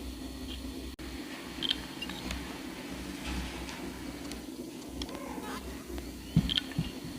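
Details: Dell Inspiron laptop, 1 TB hard drive, recorded with an external earphone mic: a few faint, sharp clicks from the right side over a steady low hum; support called it normal head movement, drive replaced under warranty.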